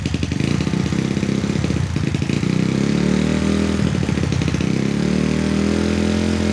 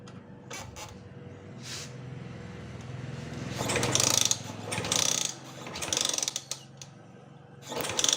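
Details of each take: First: Honda Sonic motorcycle that would not start (no spark) after wiring was tidied, now restarted after re-seating the ignition coil connection: catches straight away and settles into a steady, even single-cylinder idle with no misses or knocks; running normally. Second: Honda Sonic motorcycle that stopped starting after owner rerouted wiring: starter spins in uneven bursts about once a second, engine never catches; no spark at plug, traced to faulty burnt regulator/charging panel.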